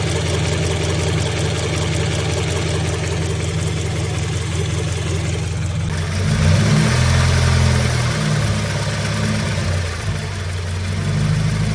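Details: 2016 Scion FR-S petrol engine at idle: light, fairly regular tick, about three to four a second, over the low hum; owner asks about possible issues.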